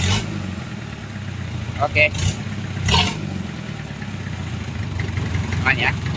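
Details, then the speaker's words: Rebuilt Mitsubishi 4D30 100PS diesel after timing gear, injection pump and cylinder head assembly, running briefly without coolant water: revs pick up on the throttle and settle back to a steady low rumble, no knocks or misses; healthy throttle response. "Oke, sudah berjalan. Ini masih beroperasi tanpa air. Dengarkan respons akseleratornya."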